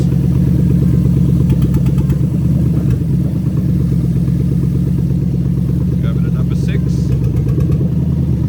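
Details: Lexus SC430 3UZ-FE VVT-i V8 on IS200 swap harness, warmed just over cold, idling about 1000 rpm while injectors/coils are unplugged one by one: uneven, lumpy beat with repeating firing skip; induced single-cylinder misfire.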